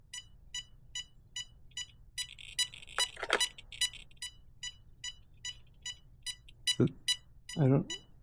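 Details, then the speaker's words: Traxxas 4-Tec 3.0 Corvette, ESC setup on 3-cell battery holding full throttle at switch-on, motor not running: short high chirps repeating a bit over once a second; ESC signals unfinished setup, possibly done wrong, not confirmed. "While holding full throttle on your transmitter, turn the ESC switch on. After a few seconds, you'll hear multiple tones and the ESC's red LED will light."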